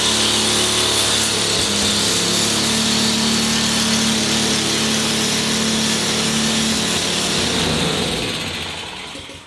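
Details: Ariens Professional 21 snowblower, 3.6 hours, after draining bad gas, freeing stuck carb float and new fuel line: single-cylinder engine runs fast and steady on choke, even firing, no misses or surging, then winds down.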